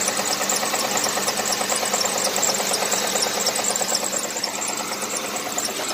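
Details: 2009 Ford Crown Victoria, ex-police car with flex fuel; check engine light on, codes unclear, and the oil change is overdue. At idle a busy, light ticking clatter of about two beats a second comes from up top. Cause suspected, not confirmed.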